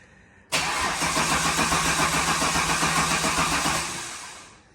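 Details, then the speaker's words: Replacement L67 (double-row timing chain, lower km) in a VY Calais drift car, first crank with no coolant, bonnet off, DFI module unplugged; even, brisk starter churn without firing, checking oil pressure build; normal healthy cranking. "All right, well, cranking wise, it doesn't sound too bad. So we'll get this connected and we'll try and fire it."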